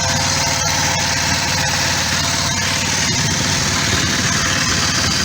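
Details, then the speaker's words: Kawasaki ER5 twin after a roadside oil, oil filter, air filter and spark plug service, with no leaks from the filter; an even, steady burble with no knocks, misses or rattles. Normal idle. "so Joe car I think she sounds like she's running as she should um"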